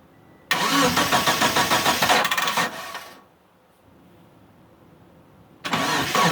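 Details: Mitsubishi Eclipse after sitting about 8.5 years, with fuel, spark and timing confirmed and fuses good; the starter churns for about two seconds, stops, then cranks again, never catching; cause unknown, owner suspects the crankshaft position sensor and plans a vacuum test.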